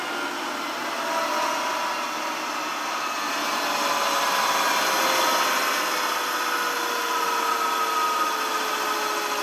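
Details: Rolls-Royce Dart turboprop engine, about 1,800 shaft horsepower, dry-cycled on its starter from 24 volts at 500 amps: smooth steady whir with a slowly sagging tone, no scraping or rubbing. It spins freely and is in good condition.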